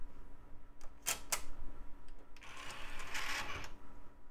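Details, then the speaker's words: Micron 2000s desktop CD burner drive: a couple of sharp clicks, then a brief hissing whirr as the disc reluctantly tries to spin up; rough spin-up, though the drive later reads a CD-R. "doesn't sound great doesn't sound like it cares to spin up either"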